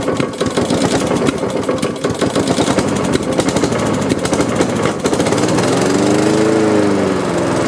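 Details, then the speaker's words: Honda HRX217 electric-start mower that sat outside for years, with new filter, half tank of gas and very dark oil: several seconds of uneven cranking and chuffing, then it catches and runs steadily. Slow start; owner suspects water in carb from washing. "That took a while to crank. Let's let it sit here for a second and crank it up again. There must have been some water in the carb or something after I'd washed it, hosed it down."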